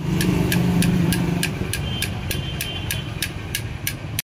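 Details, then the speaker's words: Bajaj NS200 engine opened up after an engine sound complaint: sharp metallic clicks about three or four times a second as the connecting rod is rocked by hand, excess big-end bearing play on the old crank, which is replaced with a new crank. "Sound అయితే విన్నారు కదా ఎంతలా ఉన్నది."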